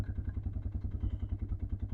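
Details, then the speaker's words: Junkyard ATV running on a part, possibly the CDI box, taken from a donor machine: steady idle with even low thumping and a light clatter on top, possibly the valves but unconfirmed; engine clatter. "feel a little clatter in there but it could be the valves"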